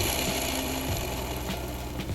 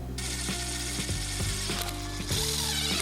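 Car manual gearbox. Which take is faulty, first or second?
first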